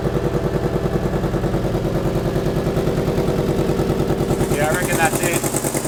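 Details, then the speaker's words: Naturally aspirated (no turbo) modified used car at idle, with ragged puffing about three per second and chuffing loudest near the headers; exhaust manifold leak, possibly needing a new gasket. "Yeah, I mean it's there's a whole lot of noise coming from there."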